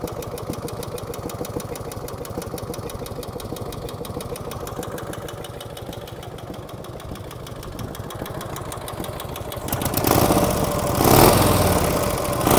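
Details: 1949 Harley-Davidson FL Panhead V-twin, cold start: uneven idle with a dry tick about two to three per second before the revs rise. Valve train tapping from the rear cylinder, apparently solid lifters; the tapping starts to fade as oil reaches the top end.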